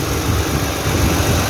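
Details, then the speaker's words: 2009 Toyota Highlander 3.5 V6 after replacing the drive belt and the noisy belt tensioner: steady, even idle with a smooth hum and no chirp, squeal or rattle from the belt drive; tensioner noise gone. "no any noise now so this is the end of the video"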